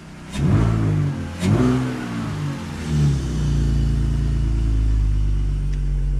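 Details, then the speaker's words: Previously non-running car after work on a suspected crank sensor issue, injectors confirmed spraying and fresh gas added: catches after a short crank, settles to a steady, even idle with clean revs and no misfire or knock; starts and runs healthily. "Rev's beautiful. Smooth."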